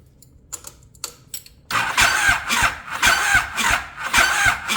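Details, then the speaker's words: 1050cc-swapped Yamaha Raptor engine, possibly bad starter: it turns over very slowly and unevenly, about three and a half turns per second, with a high screech on each turn; slow cranking with screech, cause unclear. "we can hear a kind of screeching noise, but it does turn over, but it turns over really, really slow."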